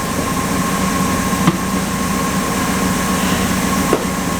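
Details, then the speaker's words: 1962 Ford Thunderbird Landau barn find that sat for several years, just revived after troubleshooting: the V8 settles into a steady, even low rumble with no misses or knocks; running healthy. "She's running really nice."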